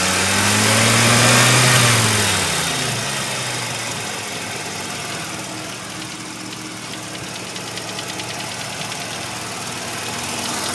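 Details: 1985 Mazda RX-7 rotary idling warm: steady, even tapping about 3.5 times a second over the engine, occurring only once warmed up; owner hopes it is a pulley; knock, source unknown.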